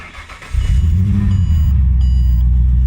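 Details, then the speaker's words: Ford BA/BF Falcon after installing a Walbro 350 l/hr fuel pump upgrade: cranks briefly then starts straight away into a steady, even idle with no fuel pump whine or misfire; healthy start. "This is great news, the car started straight away without any issues at all. And the fuel pump's not making any extra noise."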